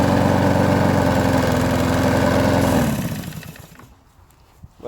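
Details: Abandoned Huskee XT650 mower, tied down, run briefly after a part was reseated with its gasket and threads cleaned: steady single-cylinder chug at a constant rate for about three seconds, then shuts down; smooth, no misfires.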